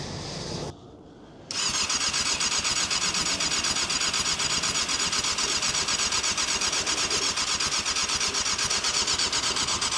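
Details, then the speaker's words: Abandoned 1998 Yamaha YZF600R Thundercat, unused since 2013, engine not seized: steady starter whirr at about four turns a second with no firing, spins freely but never catches; fuel shut-off valve position suspected as the reason it won't start. "I think >> maybe that's why it's not starting."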